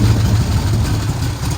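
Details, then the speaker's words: 1972 Chevelle V8 sat 5 years, first start attempt on a hot battery: low, lumpy rumble catches and runs briefly, then fades; fires strongly but runs out of gas. "sound sounded good for a second and of course i have no more gas why would i"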